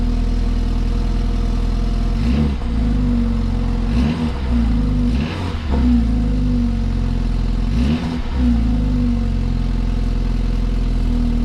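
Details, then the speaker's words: 2016 BMW 328i F30 petrol idle with four quick throttle blips after fitting a new clip on the rear active sound exhaust flap actuator: clean exhaust note with no metallic rattle, far less rattly than before. "as you can see the exhaust sound is far less rattly i don't hear any coins or nothing at all in the exhaust"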